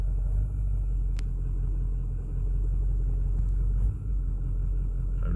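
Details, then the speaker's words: 2008 Ford F450, 6.4 Power Stroke diesel, intermittent crank-no-start and no throttle response; fuel filters replaced: deep idle rumble with level sags every few seconds, no throttle input; idle stumble, worse cold but also hot, wiggling wires doesn't affect it, cause unknown. "touching the accelerator that's just doing that on its own okay this is all on its own if you can hear that it's worse when it gets it's cold but it also will do it when it's hot"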